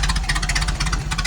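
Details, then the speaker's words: 1932 Ford roadster Model B four-cylinder, dual Stromberg 81 carbs, Winfield head, Mallory distributor: lumpy but steady idle, even exhaust pulses about ten a second, no knocking; running rich and needs leaning. "It's running rich right now. It needs to be leaned up."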